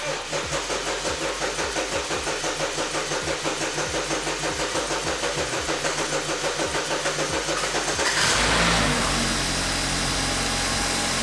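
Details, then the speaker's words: 2013 BMW F30 328i N20, first start after timing chain assembly replacement, not run for about 6 months: even cranking pulses for about eight seconds, then it catches and settles into a smooth, steady idle with no knocks, ticks or exhaust smoke. "that's what you want to see there's no smoke or anything at the exhaust either let's let it run for a bit and see what happens"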